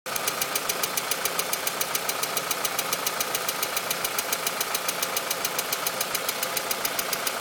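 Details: VW Mk4 2.0 petrol engine at idle with sharp even ticking about three and a half per second; cause unknown, owner seeking diagnosis.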